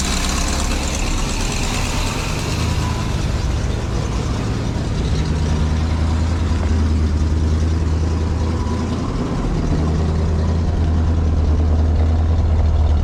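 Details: 23-foot Birchaven motorhome V8, Quadrajet carb, after 12 years stored, warming up, oil pressure good, less smoke, coolant leak owner suspects from heater hoses: steady, deep, even idle at constant speed, no knocks or misses; sounded pretty good, normal idle.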